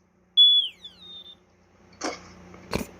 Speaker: i like that i like that dying sound yeah not anyone's want to be i love the dying sounds kind of funny